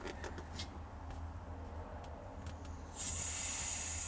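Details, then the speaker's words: Caravan gas system: the fitting from the gauge to the gas canister is deliberately loosened to make the smallest possible leak, giving a sharp, faint airy hiss over a low hum while the leak detector beeps. "so you can barely hear that it's the smallest leak that I could emulate you can barely hear it"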